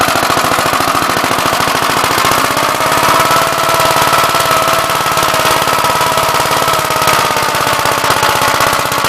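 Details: "Big Blue" 53 L single-cylinder engine after a plate patch on the cylinder, outside on a windy day: fast, even thumping with a steady beat and no misses or knocks, running smooth.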